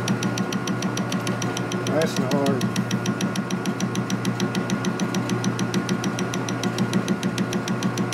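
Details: Steady rapid ticking, a bit over three per second, over the milling machine spindle hum while making an R-8 tap driver. The carbide cutter rubs hard spots in heat-treated steel, cutting almost nothing and wearing the bit.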